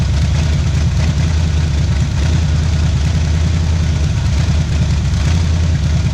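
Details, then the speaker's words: 1977 Pontiac Firebird V8 drag car revived after about 36 years sitting, cold start, warming up for thermostat to open; deep choppy steady lope, no knocks or ticks; normal lopey cam idle. "in so you can feel it oh I can feel it right here and listen at that chop woo doggy"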